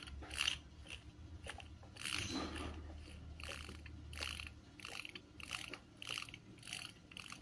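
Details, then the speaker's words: Unoiled, very dirty electric fan motor, dry, being turned before replacing its 1.8 µF capacitor with a 2 µF; irregular dry ticking and scraping over faint hum, something torn inside rubbing the shaft: internal scraping on motor shaft. "ini cacat. Ini semacam ada yang sobek di dalam terus ngenain as ini."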